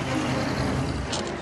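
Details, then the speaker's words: Vehicle at a transport museum driven by a learner in first gear: engine drone with a short, harsh crunch near the end as the lever moves; gears clash from moving the lever too quickly. "why is that crunching right now because you're moving the lever too quickly"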